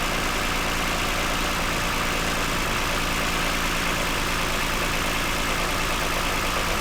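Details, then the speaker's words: 2009 Toyota Highlander, 276,480 miles, cylinder 2 misfire with engine light; after swapping coils 2 and 4, steady even idle hum with no stumble or skipped beats; normal idle, runs smooth and quiet. "This is the highest mileage vehicle I've ever owned. Actually runs pretty smooth, quiet. Partly why I bought it."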